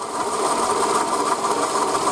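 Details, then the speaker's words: 2008 Toyota Camry 40, 2.4 L 2AZ-FE, 176,000 km, original water pump: fast light clatter at the belt end, louder with the belt fully tensioned; owner feared engine failure, suspected the pump, and a pump knock was confirmed and fixed by replacement. "Я испугался думаю все двигатели хана думаю смотрите ролик становится меньше и думаю что это помпа разваливается"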